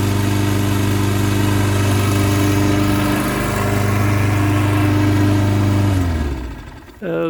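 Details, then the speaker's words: Toro 6.75 HP 149cc self-propelled mower with a Kohler engine, after bad gas and an added fuel shutoff. Steady, even drone for six seconds, then a clean wind-down at shutoff; healthy running. "so there you have it guys toro 6.75 cooler engine back to running one pull start again"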